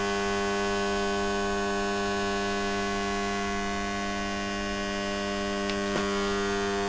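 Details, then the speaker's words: Motor powered but not turning: a steady loud mains hum with no run-up, then a couple of clunks. It is thought to be seized; suspected condensing fan failure cooked it, or a bad or spun bearing. "I wonder if the condensing fan or something failed and cooked it that's what it sounds like yeah bad bearing spun a bearing or something at some stage"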